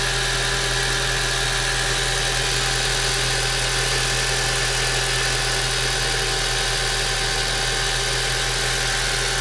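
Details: 1.8T engine at idle: a steady, even low drone with a thin, constant whine on top; it sounds abnormal, but the source has not been found.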